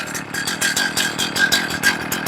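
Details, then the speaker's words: Warmed-up chainsaw that had been stalling, idle checked on a tachometer at 2,200–2,500 rpm. The buzzy two-stroke idle pulses unevenly and sags as if about to die, so idle is too low. Next step is leaning the low-speed screw in. "That's 2,400, 2,200, 2,500. It's too low."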